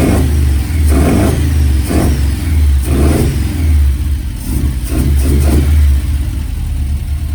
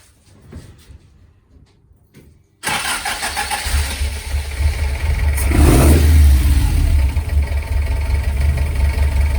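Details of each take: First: Ford prototype Corsair GT with fuel-injected Essex V4 and Capri 5-speed, first start in 1.5 years, idling with air filter off during idle adjustment: steady idle with a light whine from the alloy timing gear; normal. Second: Ford prototype 2-door GT Corsair with a fuel-injected Essex V4 and Capri 5-speed, first start in 1.5 years, air filter off while tickover is adjusted: lumpy tickover with a light clanking from the alloy timing gear.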